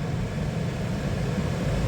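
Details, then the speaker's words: 2012 Toyota Sienna after blower motor replacement, fan on high: smooth, even rush of air with no whine, rattle or scraping; new blower healthy and quiet. "Nice and quiet. The only noise is the air moving when I let you listen to it before it was on low. That's on low. Can't even hear it running."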